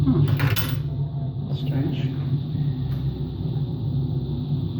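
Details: Washing machine on an empty rinse-and-spin cycle gives a low, steady rumbling drone with some handling knocks. The owner suspects worn motor and drum bearings, both unconfirmed; no leak was seen.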